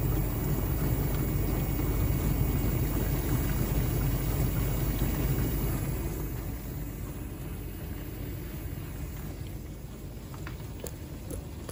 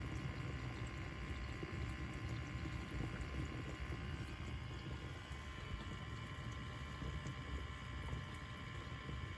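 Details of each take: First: LG dishwasher circulation pump after bearing replacement: even low rumble of water being pushed round, steady then easing off, with no grinding or bearing growl; the pump runs clean. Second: LG dishwasher circulation pump runs with a steady rough hum and whir under the wash water, from worn motor bearings; the replacement bearing lasted only four months, likely because a faulty shaft seal let water through.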